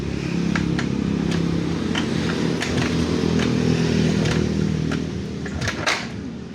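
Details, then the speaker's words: Motorcycle that will not run and shows a check-engine light; battery measured at 13.1 V. Starter churns steadily with uneven clicks and never catches into running: cranking but no start. "Sige. Ayaw. At meron siyang check engine na lumalabas."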